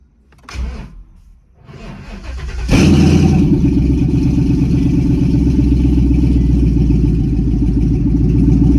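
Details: S550 Mustang GT with nitrous on a freshly flashed E85 tune: brief cranking, firm catch, then a deep even burble settling into a steady high cold idle with no misses or knocks; air-fuel ratio 9.7–9.8 as expected.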